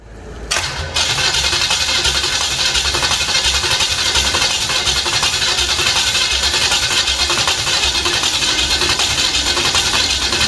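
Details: First fire-up of a freshly arrived 010 350 Chev small-block V8 on an engine stand, for a period HQ sedan rebuild. It catches within a second and settles into a steady, even idle with no misses or knocks. The carby runs well; normal start and idle.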